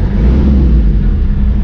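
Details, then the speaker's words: 1991 Toyota LiteAce 4x4 Limited diesel, right-hand drive: deep, even diesel rumble rising with throttle, steady firing, no knocks or rattles, turbo not heard; normal revving. "hand drive yeah it's a light wow ace sounds really good"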